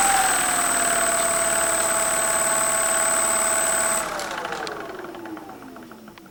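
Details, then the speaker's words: Freewing 4258 580kv brushless motor from a P51D model after a prop ground strike, shaft play: steady low-speed whine with faint uneven knock, then spin-down; suspected damaged bearings, later replaced with 5x11x5 bearings. "Okay, so I'm going to run the motor at a low speed and we'll hear that sound, that knocking sound, which indicates a bearing. So you can hear that knocking sound. That is not a normal sound for a motor."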